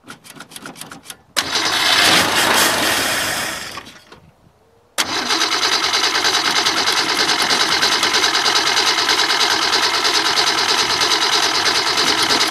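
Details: Rough-looking Falcon, started with a fresh battery and a little gas poured in: starter churns briefly, pause, then catches on the next try and settles into a steady, even idle with no misses.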